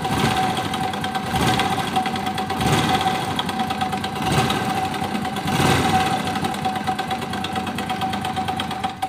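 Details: Honda Biz 100 small single idling after startup: a fast metallic rattle rides over the idle and swells with each throttle blip, a noise in the engine, typical of a slack cam chain.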